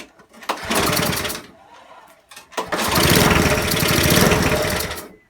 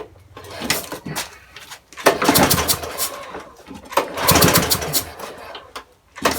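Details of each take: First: Non-running eBay spares petrol mower after reassembly with fresh oil and petrol: short burst, pause, then small engine catches and runs a few seconds on choke, a bit rough but firing; throttle seems stuck on; engine starting on choke. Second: Broken spares-or-repairs petrol walk-behind mower with oil at correct level, being pull-started: three hard recoil pulls, engine spins but never catches; no priming bulb found; no-start later traced to cam timing marks out of line.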